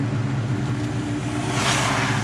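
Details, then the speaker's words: Built, cammed 2003 Mustang Cobra, Borla ATAK exhaust, about 21.5 psi boost on pump gas, after retune: steady deep lumpy cammed burble, idle doesn't dip when coming to a stop; normal idle. "my goodness the uh the idle doesn't drop the auto doesn't drop when i come to a stop so that's awesome"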